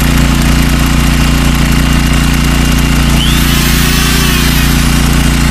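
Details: Troy-Bilt 5550-watt generator, bought used with a suspected leaking seal, pull-started after repairs: a steady, even low drone with no misses or surging. It runs healthy.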